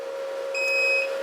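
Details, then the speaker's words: Antminer with a power connector unplugged, drawing almost no power, red light on: one sharp high beep over a steady hum; alarm from the disconnected connector. "so in a little bit it's going to start beeping okay as you can see without the beeping sound the red light"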